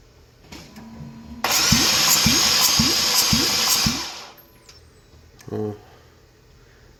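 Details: 2014 Porsche Cayman: starter turns engine over with even beats, about two per second, for about two seconds, never catches; cranking no-start, compression test later found low compression, water ingestion suspected.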